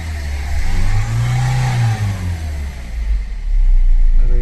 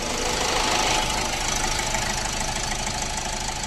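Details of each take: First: 2015 Ford EcoSport diesel (stated as 1.4 and 1.5 L turbo) with malfunction light blinking and a pickup problem: revs surge and sag, hunting unevenly. Misfire from an open circuit on the cylinder-three injector, confirmed by fault code. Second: Ford EcoSport 1.4 diesel with earlier misfire, vibration, pickup problem and malfunction light, after clearing fault codes: even idle with light injector clatter, steady rhythm, no stumble or miss; running smoothly and quietly.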